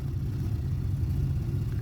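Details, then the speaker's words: Miller furnace that began rumbling intermittently last week: a deep, steady low rumble with no knocks or hiss, continuing as it kicks on and shuts off. It acts normal on restart, so the cause is unknown. "It only does it sometimes. This is a Miller furnace, and it'll kick on, and it'll shut off again, and it'll keep rumbling like this."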